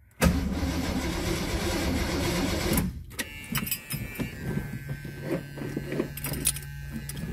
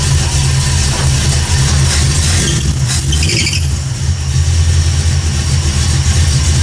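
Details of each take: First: 1979 AMC Spirit AMX, carbureted AMC 304 V8 rebuilt about 20,000 miles ago, first start after installing a Carb Cheater: starter cranks steadily in two bursts but never fires. There is no spark because the ignition coil wires were left disconnected. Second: 1979 AMC Spirit AMX, carbureted AMC 304 V8 rebuilt about 20,000 miles ago, after a Carb Cheater install: steady low rumble holding an even pitch, no misses or knocks. Smooth idle.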